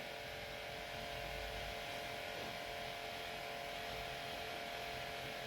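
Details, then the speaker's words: Mercedes E280 Airmatic compressor running steadily with a quiet electric hum, lifting the car from 9.8 bar while the right rear strut is tested. Pressure later drops to 6.59 bar, suspecting a leak. "So it's got 9.8 bar. We'll try lifting it and see. So if we lift, that's going up and out."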